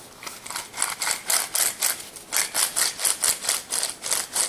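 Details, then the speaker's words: Removed front wheel bearing from a Suzuki Jimny JB43, twisted by hand: gritty, rasping bursts about three times a second, with lots of play and dead, floating balls; the new SKF bearing is silent. "On entend, il y a vachement de jeu. Les billes, elles sont mortes."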